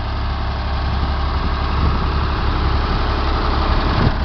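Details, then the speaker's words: Ford 335 industrial tractor (decals say Ford 3600) with rebuilt diesel engine: steady low idle with an even, unhurried beat, no knocks or rattles; normal smooth idle. "you all can hear it it sounds real smooth low idle good looks alone just fine"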